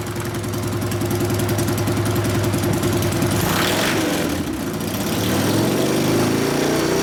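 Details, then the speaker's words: 1999 Harley 80ci Evo, rigid frame, first start after rewiring and repairs: uneven, loping idle that stumbles and hunts before revs pick up. Running lean; mixture screw at 2.5 turns out, needs bigger low-speed jet, accelerator pump suspected not working. "Doesn't want to idle, does it? I'm thinking more fuel."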